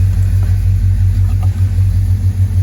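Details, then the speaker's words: LS-swapped (6.0 LS tagged) Chevy Monte Carlo at a deep, even idle with no knocks, misses or squeals; running well, gas pedal untouched today. "So, like I said, she's running real good. I haven't even touched the gas pedal either today."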